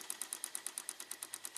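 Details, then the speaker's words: 1993 Cadillac Allante Northstar V8 with code for idle speed control: with the key off, steady sharp ticking about eight per second as the idle speed control motor fails to retract; worn motor, perhaps gears or plunger. "That's not normal. This thing's definitely worn out. Maybe the gears in there, the plunger, whatever."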